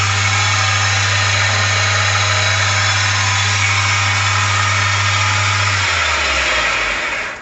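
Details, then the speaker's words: 1 hp Chinese mini lathe after headstock end-play adjustment: spindle runs with a smooth, even hum and steady tone, no knocking or grinding, then winds down cleanly; reaches 1900 RPM versus 1700 before, bearings sound healthy. "so it runned up or ran up to 1900 RPM the best I could get out of it before was 17. so looks like my uh my adjustment here was a success"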